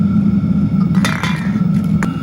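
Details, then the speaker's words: New Chinese diesel heater for a trailer, just fired up with some air bubbles in the fuel line: a steady low hum with a few light clinks around it. It is burning evenly and running normally with no exhaust smoke. "I'll let it run for a few minutes, make sure it doesn't get any errors. It seems to be running very efficiently now."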